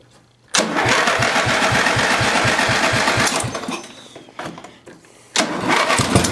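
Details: Older MTD riding mower being readied for a new owner, after fitting a lighted switch: cranks briefly, catches quickly and settles into a steady single-cylinder beat with a clean rev, no knocks or misses.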